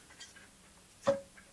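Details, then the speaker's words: 1974 Norton Commando gearbox, dismantled while diagnosing a clunk on kickover and in gear: sharp metallic tick with short ring among faint clicks while spinning the clutch; ticks when turned forwards. "I'll have to check and and look to see if that actually makes a difference to spinning spinning the uh the clutch and actually hearing that ticking. Weirdly enough, while we're going forwards, it ticks."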